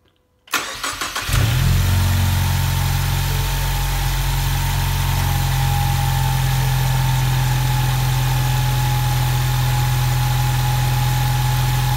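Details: 2016 Ford Mustang EcoBoost started after replacing parts for codes P018C (fuel pressure sensor) and P144C (EVAP purge), with the fuel pump primed first. Short crank, clean catch, steady even idle with no misses; codes stayed clear and fuel pressure is steady.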